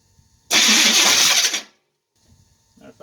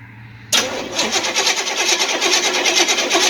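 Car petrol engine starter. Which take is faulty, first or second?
first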